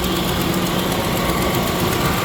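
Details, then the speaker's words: Chevy LS V8 with drive-by-wire and 4L60E in donor two-wheel-drive truck, hot-wired fuel pump; steady fairly smooth idle with faint quick tick in step with engine, suspected exhaust manifold leak, not confirmed. "but what would a chevy motor be without an exhaust manifold leak or two however it runs pretty good drive by wire"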